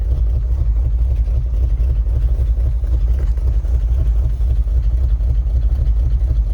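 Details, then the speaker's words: 1978 Chevy K20 4x4 Camper Special V8, first run after 13 years sitting outside: a deep, slow, lumpy idle with uneven pulses, set very low. Oil pressure is good; charging is uncertain at such a low idle. "sure it's charging but it's such a low idle who knows"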